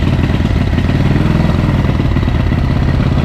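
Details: 1937-frame/1940-engine Matchless Model X 1000cc side-valve V-twin, after two years fixing poor starting and running, started second kick: steady, even low thumping idle with no knocks or misses.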